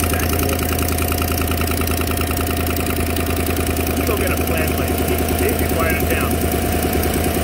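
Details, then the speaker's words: GM 5.3 V8 Silverado cold start at idle, light sharp tick about three times a second; exhaust manifold leak with carbon traces from a broken rear manifold bolt snapped in the head. "and there you go that's an exhaust link that noise see all the carbon there that back bolt is broken so that's a relatively common issue"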